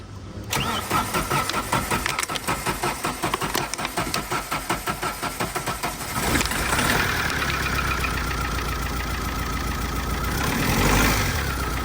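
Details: Tata 2.2 diesel, long parked and not starting: cranks in heavy uneven thumps, then catches on starting fluid and runs rough and loud with a diesel knock.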